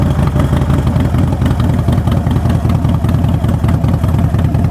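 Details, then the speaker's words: Bike in neutral, first start via push button: loud, deep, regular loping idle from open pipes without skips; sounds healthy. "Oh, that thing sounds beautiful."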